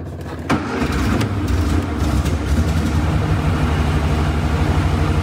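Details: 1962 Austin Healey Sprite Mark II revived after long storage, carburetors adjusted, second start attempt: short crank then steady low even idle, no knocks; runs well but gauge shows no oil pressure (pump may need priming, gauge fault or leak suspected).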